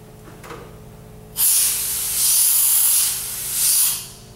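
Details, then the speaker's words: Dental delivery unit HVE suction after restoring and lubricating the O-ring seal and turning the vacuum pump back on: steady airy rush swelling and easing evenly, no whistle or sputter; listened for leaks, none found, suction normal. "we're actually going to listen for leaks let's listen very carefully everything sounds good"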